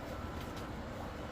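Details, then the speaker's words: Brother DCP-7065DN laser copier after repairing the paper tray switch sensor/spring that caused a no-paper error, copying: quiet even whirr with soft rolling clicks as rollers engage and feed the sheet; normal paper feed. "The thing's engaged. The wheels are spinning. Got it stuck on top of the thingy."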